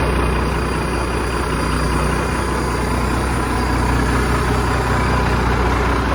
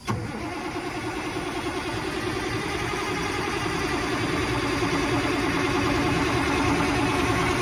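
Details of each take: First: 1987 Ford LN9000 house-moving/wrecker truck, diesel, just revived after sitting in a field about 20 years: steady heavy diesel clatter at an even idle, no misfires or knocks, nothing else in the background; healthy idle. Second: 1987 Ford LN9000 diesel after sitting about 20 years: a steady cranking churn at about three beats a second that builds slowly without firing. It rolled over but would not pull fuel until ether was used.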